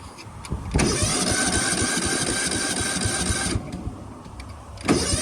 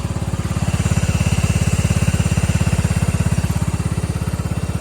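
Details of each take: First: 1999 Cub Cadet HDS 2135 riding mower, cold start after refire: fires, stalls briefly, restarts and settles into steady, even single-cylinder idle with no misses; owner says it purrs, normal idle. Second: 1999 Cub Cadet HDS 2135 riding mower, very cold weather, choke troublesome, history of starting then dying when cold: single-cylinder chugs heavy, slightly uneven low thump near three beats a second; odd running, cause unclear.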